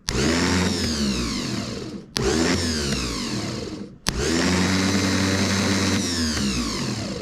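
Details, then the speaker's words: Riding lawn mower starter motor after rebuild (new brushes, machined commutator), bench tested on jumper cables: three short bursts of smooth whir spinning up and down, no grinding; spun to seat new brushes, working well. "That's pretty good. I don't know if there's any difference. I didn't bench test it before, but there we go."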